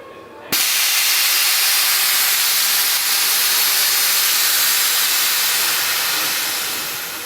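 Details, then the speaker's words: Truck with Accuair e+ Endo CVT air management being mocked up: a sudden loud, steady hiss that slowly fades as air vents from the bags while lowering; normal dump, quiet compressor. "take that any day and I think the important part is that compressor that it's so quiet that is incredibly quiet"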